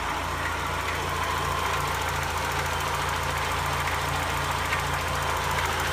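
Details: 1991 Mazda Miata petrol engine at idle, cold-ish: faint, uneven knock deep in the bottom of the block. It is quieter when warm, also heard at 3-4k rpm on light throttle, and rattles while driving. Louder during an idle droop (possibly IAC). No codes; owner suspects a spun bearing.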